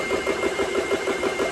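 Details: GX CS3 air compressor, about nine months old, after repair of breaker tripping and a faulty switch: quick, even pumping beat of about six strokes a second, steady mid-pitched tone while filling under load; normal running.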